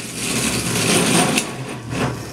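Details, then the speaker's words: Hayward Super Pump pool pump motor running with a harsh, metallic grinding hiss over its hum, sounding like a steel factory: worn motor bearings, repairable by rebuild. "all right so if your pump sounds kind of like a steel factory you might want to send it back in now the thing is these are repairable"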